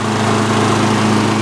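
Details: Customer's Lawn-Boy AWD mower after replacing both broken handle brackets, running outdoors in cold windy ~32°F weather: steady, even engine drone at constant pitch, no knocks or rattles; runs normally.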